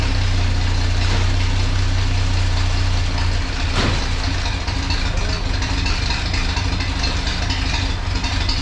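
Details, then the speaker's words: 1932 Chevy truck "Rockabilly Rat" before tune-up, plug wires just refitted, ignition points not yet gapped: loud low idle with uneven, lumpy beat and irregular stumbles, about three to four pulses a second; rough idle. "it's still obviously got some issues like you said I haven't gapped those points yet I'm going to run out of here for now"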